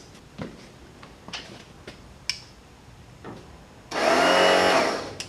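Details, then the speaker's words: Ford lawn tractor with a fully charged battery, starter solenoid jumped: a few light clicks, then a high free-spinning whir with no cranking. The starter spins without engaging; a Bendix gear not popping out is suspected. "so it sounds like the Bendix gear on the starter is not popping out either so might have to pull the starter out clean that out before we do that"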